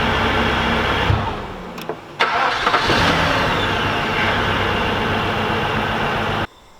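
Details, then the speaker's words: Audi S8 4.2 V8 (340 hp), after fixing a crank no-start caused by a shorted blown fuse under the hood: cranks, catches and settles into a slightly lumpy idle; one cylinder misfiring. "So right now the car has one cylinder missing while the engine is running."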